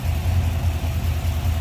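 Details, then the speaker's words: 1963 Chevrolet Nova 2-door hardtop, 350 V8 with Edelbrock Performer RPM intake, Holley carb, HEI ignition and headers, hood open: even, throaty low pulses at a steady idle with no misses or tapping, a normal idle. "There's that 350 V8. Fan shroud intact. Smooth running, sounds good."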